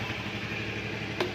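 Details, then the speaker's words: Honda Vario 110 carburetted scooter, 2012, about 70,000 km: very smooth, steady, even idle with no knocks or misses, no smoke, CVT still responsive; normal idle. "untuk mesin ini sangat halus halus tidak ngebul cvt-nya masih responsif"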